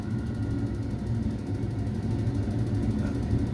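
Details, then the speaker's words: Ideal Mini HE24 boiler with pump push rod held in by screwdriver to simulate pump running: fan spins up to a steady low hum and even whir, no knocks or scraping — normal fan run. "so now I'll just shove that in there that's it and you can hear the fan keep it in you can hear the fan on it"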